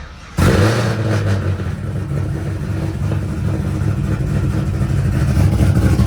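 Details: Car sitting unused through cold weather, after a hard cold start and fuel pump priming: engine catches right away and settles into a steady, even idle without stumbling; normal idle.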